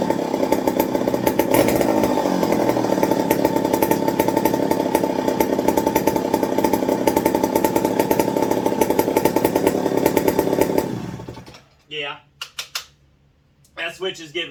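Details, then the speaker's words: McCulloch 55 gear-drive chainsaw after fuel wick replacement and 090 carburetor swap: hard, even two-stroke rattle for about eleven seconds, then shuts off; it runs and holds idle. "fits now but it idles it's running with the 0.90"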